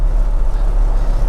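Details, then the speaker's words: Toyota Land Cruiser that sat abandoned for 8 years, at 50 mph in the cabin: heavy, pulsing low drone with severe vibration; owner suspects the driveshaft, prop shaft or a universal joint, and earlier suspected flat-spotted tires. "I mean, it is really quite severe this vibration. So, place your bets on what you think it might be. It's going to surely be something like a drive shaft, a prop shaft, or the the a universal joint."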